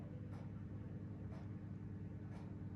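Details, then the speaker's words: Bathroom ceiling fan whose owner suspects data on the power lines causing periodic ticking noise. Here it is quiet: a steady low hum with only a faint tick about once a second; normal fan motor hum. "it's very quiet it's just a fan humming so that's that"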